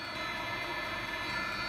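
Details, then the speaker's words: 12V 5kW plumbing water heater running, about 73 dB at 1 m: steady even roar with constant hum, no sputter or surging; burner running normally. "Oh, that's getting loud. It's about 1 meter away, 73 decibels."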